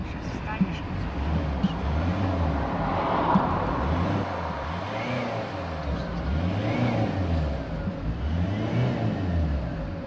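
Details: Turbo whistle appeared, pulling power unchanged and car drives normally; thin whistle rises and falls with each rev above engine drone, following boost; cause not yet clear.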